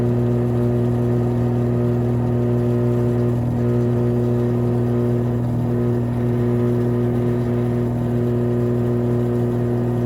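Loud continuous roaring whir with a steady low drone through the spin; typical of drum bearings ruined after the tub seal leaked.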